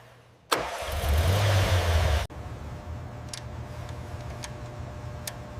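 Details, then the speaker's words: 1974 Porsche 911 Carrera 2.7 RS air-cooled flat six, first start after full restoration and engine rebuild. Catches quickly with a short rev, then drops to a smooth, even idle with no ticks or knocks. Normal start and idle. "This moment holds months of work. The flat six breathes on its own once more."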